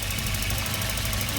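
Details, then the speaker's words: Auction-bought Volvo, jump-started with a booster pack: steady even idle with a faint fast tick over it; sounds healthy overall; normal idle with light valvetrain tick. "Oh yeah. That sounds pretty decent for $200. Sounds just like my red block."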